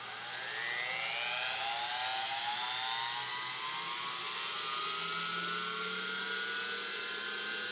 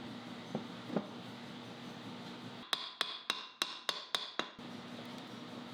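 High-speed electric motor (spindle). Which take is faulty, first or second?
second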